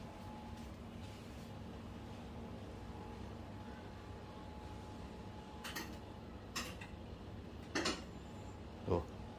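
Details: Wuling Air EV parked and switched off: quiet cabin with a handful of sharp, uneven clicks about a second apart near the end, source unknown; ticking noise while switched off.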